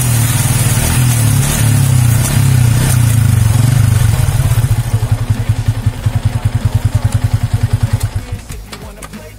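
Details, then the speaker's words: Yamaha Vixion after tightening the rear swingarm that clicked when shifting: engine pulls hard then backs off with a steady, fading beat and no clunk on the shift; normal ride, no clunk. "aman ya guys ya jadi sudah tidak bunyi cetek-cek kembali"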